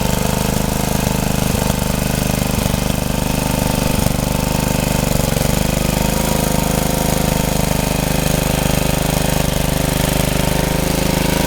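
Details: Rebuilt Troy-Bilt tiller under tilling load: single-cylinder thumping about three beats a second, bogging slightly as tines dig, runs strong; owner reported heavy smoke under heavy load while tilling and suspects blow-by past the rings.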